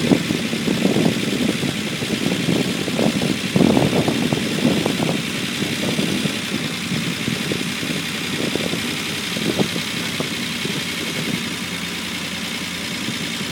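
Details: Unimog 404 first start-up after rebuild with new fuse boards and a rewire: steady, even idle with a soft, regular beat and no knocks or misses; normal idle.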